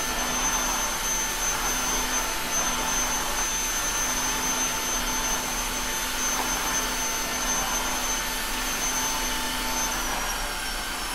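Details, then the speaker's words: Tineco iFloor 3 wet/dry floor washer, recorded at user ear level with Tascam DR-05: steady airy rush with thin high whistle holding level; wet and dry modes sound about the same, turbo mode adds ~8 kHz tone; normal motor noise. "wow the sound profiles in wet and dry mode are about the same judging from the last test"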